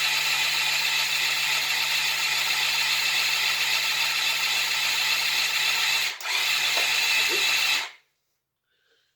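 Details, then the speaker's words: Motorcycle project after sorting the electrics, fitting a new spark plug (spark confirmed) and adding fresh fuel: steady starter whir for about eight seconds with no firing; cranks but won't start. "oh fully discounted it really sounds like it's trying that's well i've completely [ __ ] this up now why did i get this far and then it decides to die"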